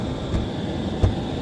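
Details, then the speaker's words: BMW E38 750iL V12 parts car, sitting unregistered since about 2015, fires right up: smooth, even low rumble at idle with no misses, knocks or ticks; a phenomenal, healthy idle. "that this thing idle is phenomenal that's the biggest thing that'll make me want to keep a car is when you start it and it sounds like that that's great"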